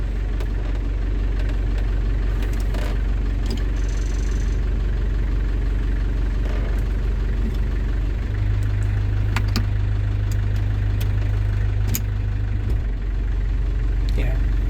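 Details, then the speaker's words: London Taxi diesel automatic, warm, just topped up after gearbox sump gasket renewal: steady idle, hum deepens at once as drive takes up; gear engagement now instant with firm jolt, whereas before the top-up engagement was delayed; normal. "When I select gear you can almost feel it instant. Like a little jolt as you select. Back into D, look, and there's almost a firm jolt when it goes straight in."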